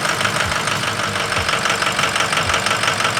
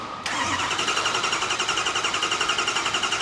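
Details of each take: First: Ford 6.0 Power Stroke diesel just restarted after repair; lumpy, uneven idle, about three stumbles a second, with hydraulic rattle as air bleeds from the high-pressure oil system; rough idle from air in high-pressure oil. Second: Ford 6.0 Power Stroke diesel after repair, started with one injector unplugged then fire in the hole; fires immediately to an even, crisp idle, hydraulic sound changing as the oil rail fills; normal start-up.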